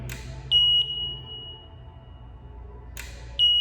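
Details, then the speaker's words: Mart Cart electric cart, after throttle potentiometer alignment: a sharp click, then a long high beep repeating about every three seconds while the motor never turns; controller not engaging motor, suspected loose or broken wire between controller and motor. "that's the motor trying to engage and it's not working i suspect that we have a loose wire or a broken wire somewhere between the motor controller and the actual motor"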